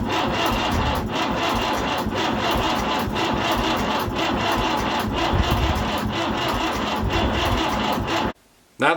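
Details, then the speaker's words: Fordson Power Major diesel tractor parked 5 years, cranked on a weak battery. Labored cranking at about one compression pulse per second never catches because the engine turns too slowly. Two new batteries later fixed it. "battery was not good enough and this meant that the engine was not turning over fast enough so it would not start like that"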